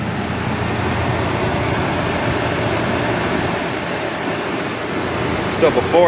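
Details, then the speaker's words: 2007 Ford Ranger at idle after installing new Motorcraft aluminum belt tensioner and new drive belt to cure a squeak; old tensioner always shook and likely stretched the belt; smooth steady hum, no chirp or squeal, belt running healthy. "before, that tensioner was always shaking. I think that was the problem. I think it was stretching the belt out, so did good."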